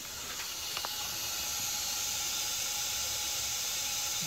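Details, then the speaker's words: '97 Ford F-350 7.3 Powerstroke with an added air-to-air intercooler, engine off, pressurized to about 25 psi for a soapy-water boost leak test: steady high hiss from a cracked driver's-side intake boot, with both turbo plenums and a pinhole also leaking. "in that boot on the driver's side both the turbo lemons are leaking I've got some little bubbles that are working their way up through there and I also found one little pinhole leak"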